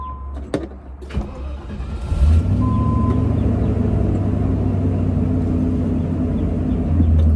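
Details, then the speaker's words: Land Rover Discovery 1 3.9 V8 started after fitting new spark plug wires: a few clicks, then it catches and settles into an even steady idle with no misses, arcing or snapping; normal idle. "Sounds good. Don't hear anything arcing over there. No, I also don't see any spark plugs moving."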